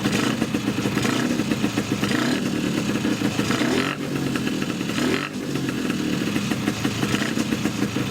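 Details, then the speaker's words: Polini 177 two-stroke scooter with Malossi 360 reed manifold and reeds, PHBH 30 carb, on its first start: revving up and down with a loud rattly intake clatter as the reeds open and close on crankcase low pressure, the normal reed valve noise. "these reads they open close the low pressure in the engine that's the noise these engines make"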